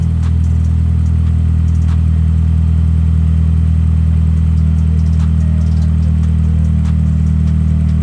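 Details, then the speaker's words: Honda EM2 Civic with K20 engine, after disassembling and cleaning the IACV to cure idle surge: steady, smooth idle with no hunting, slightly high at a little over 1000 rpm, coolant 68°C; normal idle. "she's idling perfect it's a little bit high in the idle but she's not doing too bad"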